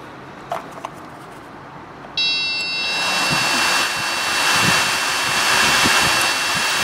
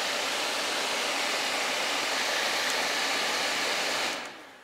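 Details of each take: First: 2006 Saab 9-3 HVAC blower motor behind the glovebox, after WD-40 was sprayed in; it spins up to a raspy, high whir with a dry, uneven scraping beat and keeps jamming. Seized, worn blower motor bearing. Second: 2006 Saab 9-3 new HVAC blower motor after old one failed from water via blocked drain: steady even rushing air at constant speed, no rattle or squeal, winds down cleanly; blower healthy.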